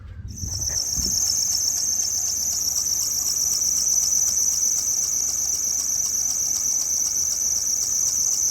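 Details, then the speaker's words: 2000 Chrysler Town & Country 3.3L, at idle before repair: sharp high chirp about four times a second as the belt runs off a tensioner pulley leaning out from a worn bushing, belt losing a rib. "that's the tensioner and what they do is the bushing starts to go bad in it and instead of standing up straight it starts to lean out and it lets the belt run off the side"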